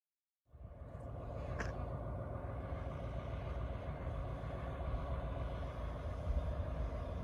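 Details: Bluebird FC coach diesel after a no-start traced to the fuel shutoff solenoid and temporarily fixed: catches quickly and settles into steady, even low idle clatter with no misfire.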